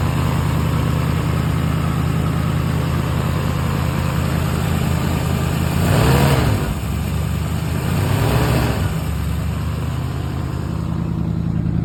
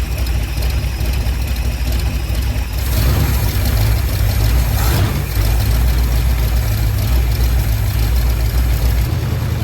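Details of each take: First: Classic Sunliner V8 after carb cleaning, float adjustment, new starter and exhaust leak repair with sealant; steady even idle with two clean throttle blips, no ticking or puffing at the pipe, sounding sealed and healthy. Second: Ford Sunliner after new starter and carb cleaning, fresh start: steady deep idle with raw puffing exhaust note; really bad exhaust leak at front pipe joint, black soot, to be resealed with high-temp gasket maker.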